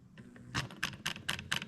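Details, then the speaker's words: 1UZ-FE plug-and-play harness for a 89-91 Toyota Celsior, IS200 with J160, bench test fed a crank sensor signal: quick evenly spaced clicks, about four a second, from the idle air control valve actuating properly. "Okay, so we know the idle air control valve is working, and you can hear it in the background there."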